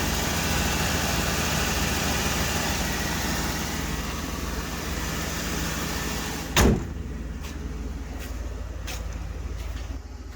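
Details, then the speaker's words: 1997 Ford F Super Duty, 5.7L 460 V8, unused on road since 2015: starts right up, even lumpy idle with slight exhaust rasp from imperfect previous exhaust repair, no ticking or knocking; healthy engine, exhaust slightly loud. "Starts right up. Truck sounds good. He tried to fix the exhaust and didn't do it perfectly, so it's still a little loud."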